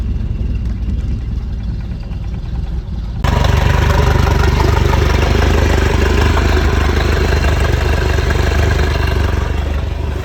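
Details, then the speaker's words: 1995 Larson 174 SEI boat, 3.0 MerCruiser Alpha One Gen 2, sat for 3 years: fires right up and settles into a steady, even, healthy idle with no knocks or misses. "Fired right up. Sitting for 3 years. Just gonna sit here and idle. That's amazing."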